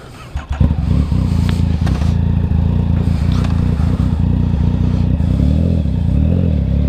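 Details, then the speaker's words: Motorcycle with shorty levers after readjusting misadjusted clutch lever that caused slipping: engine settles into steady, even low beat pulling away, clutch takes up smoothly with no slipping flare; normal engagement. "that's much better mo bettah"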